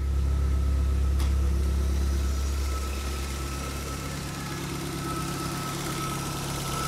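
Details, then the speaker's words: Car, cold start after cleaning the fuel injectors with a homemade pulsing rig: smooth even low rumble at slightly raised cold idle, settling down gently, no knocks or misfires; normal cold idle. "vamos ver ó foi até rapidão a lenta boa tá frio o carro né ó daqui a pouco a lenta baixa"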